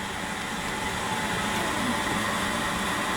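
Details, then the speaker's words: Power-vent water heater on a top floor, about 65,000 BTU: steady loud fan rush with a faint whirring tone, louder than conversation; the exhaust blower is simply noisy. "here's a a rather noisy one this is top floor so it's higher btus like 65 000 btus that you can hear it's it's rather noisy"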